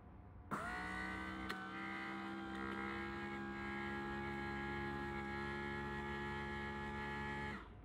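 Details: 1981 Mercedes W123 front left door window after swapping in a W116 motor on the large upper gear, with a new regulator: a smooth, even whir for about seven seconds, steady pitch, no grinding or labouring. Window motor runs healthy.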